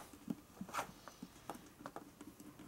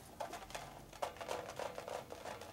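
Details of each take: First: 1942 Harley-Davidson WLA/WLC 45ci wheel rebuild, inflating the tire: faint scattered crackles and ticks as the inner tube unwraps inside the tire, then a burst of air; normal. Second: Rebuilt wheel of a 1942 Harley-Davidson WLC/WLA 45ci, tire mounted with a tube: irregular soft patter and rattle as the wheel turns from loose rubber balls inside the tire, which can wear through and hole the tube.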